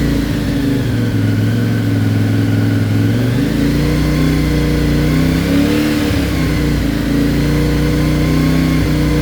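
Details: CFMOTO Ibex 450, warmed up to 180, before ECU tune, revs held around 3500–4000 RPM with cruise control: engine note keeps rising and sagging, surging and jerking between 3500 and 5500 RPM from poor factory fuel mapping.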